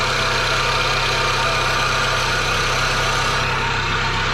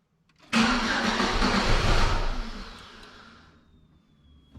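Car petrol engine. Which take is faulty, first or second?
first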